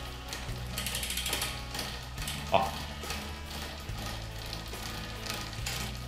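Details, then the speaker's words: Bicycle rear derailleur with the cable deliberately over-tensioned, pedalling: bursts of rapid ratchety ticking as the chain nearly jumps onto the next cog but doesn't. The rear derailleur cable is too tight. "słyszycie Ten dziwny dźwięk ten dźwięk bierze się stąd że przy zbyt napiętej lince Zobaczcie łańcuch już prawie chciałby wskoczyć na następną zębatkę ale jednak nie wskakuje ten właśnie dźwięk oznacza że mamy problem najłatwiejszy problem w sumie z napięciem linki"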